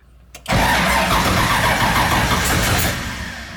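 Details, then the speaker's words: LS3-swapped Nissan 240SX (S13) first start after new starter and hot-wiring the unpowered converter box: brief crank, loud uneven roar that sags and fades near the end. Hard starting and stumbling after start, cause unknown. "Oops. Yeah, it's not wanting to start nicely, but we got it running."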